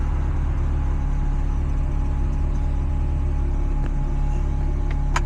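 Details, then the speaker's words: 1990s NA Mazda Miata at warm-down idle after start, retrofitted with a custom remote-mounted Ford idle air control valve replacing the failed original; smooth low idle with a faint constant high whir from the loud new valve, idling slightly high initially. "The valve is pretty loud though, I will say. Like you can actually hear it worring in there, but it definitely beats not having a valve at all."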